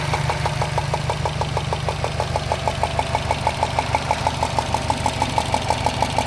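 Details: 2013 Subaru WRX at idle: loud, sharp, metallic ticks about three per second near the turbo, like a golf ball sliding around inside the engine. Source not found.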